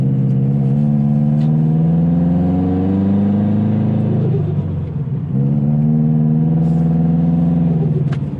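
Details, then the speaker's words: Subaru Legacy GT driven on a new tune with redline held at 4,000 rpm: engine note climbs, then on lift-off a quick fluttering chatter as boost dumps through the Grimmspeed blow-off valve, whose spring the owner suspects is overly hard. Blow-off valve flutter. "will say this thing makes really fun noises the Grim speed blow off valve has such a like I don't know if it's not the spring in it is just like overly hard for the extra stoop tattoos but it's got some serious [ __ ] turbo noises just fluttery goodness"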